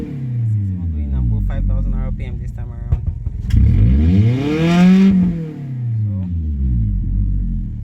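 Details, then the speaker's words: Warmed-up car after clogged catalytic converter replaced and pipe reassembled: pitch sweeps up smoothly, holds high without stumbling, then falls back; now revs freely to 6,000 rpm where before it would not exceed 5,000 rpm. "so we are done assembling the car now and is what it sounds like now it gets to 6,000 R PM initially it wasn't going above 5,000 R p.m"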